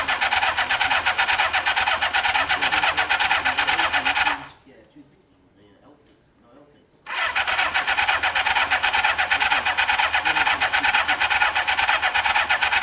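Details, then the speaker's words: Kawasaki ZL600, on start-up after rewiring the clutch switch, settles at a fast, busy idle well above normal, briefly cut off then back at the same high revs, with carbs not yet balanced; idle too high, idle setting suspected but not confirmed. "i think the idol's up shouldn't be revving up that high oh yeah yeah but yeah it shouldn't be revving like that though"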